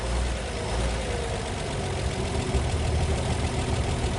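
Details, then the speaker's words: 1939 Chevrolet Master six, first start in 48 years after barn storage, carburetor not taken apart. Idles low and steady with even, soft chuff, no misses; normal idle. "I just can't believe it's running that good after sitting that long."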